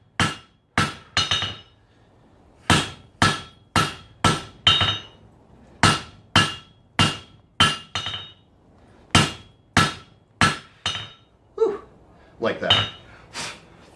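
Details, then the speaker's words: Sharp ringing hammer blows in bursts, tone turning bright and hard while forging Damascus knife blades: the steel was let get too cold, so you find yourself fighting it. "find yourself fighting it you let it get too cold"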